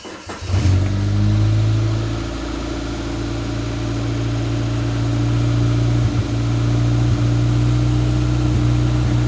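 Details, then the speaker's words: 1993 Geo Tracker 8V 1.6L Suzuki engine, first start after head gasket, valve adjustment and starter replacement: fires quickly into a loud idle that is mostly even but still stumbles slightly; rough idle. "I think she sounds good. She's still stumbling a bit."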